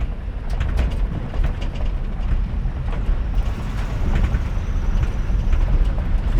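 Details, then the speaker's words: 1985 K30 CUCV after a swap out of the 6.2 Detroit diesel; the replacement engine runs with a deep, even V8 rumble at steady idle, no misses or knocks. Normal running. "All right, y'all. So, we got the CUCV running and um it's running pretty good."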